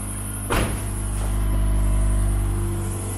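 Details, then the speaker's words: 1997 Mitsubishi Eclipse Spyder after custom exhaust work, sealant cured overnight: smooth, even low idle hum with one brief early knock, squeaky belt still present, no puffing or ticking from exhaust joints; no leaks, normal idle. "besides my squeaky belt still I don't hear any leaks sounds good thank you quiet"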